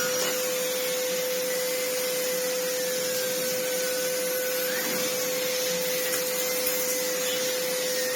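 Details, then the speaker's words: Sebo C2 Total vacuum cleaner on max speed with the turbo head spinning: a strong, steady whine with rushing airflow and no rattles or surging. The motor is functionally fine with very strong airflow. "Yeah, bless it. It's functionally fine. It cleans immensely well."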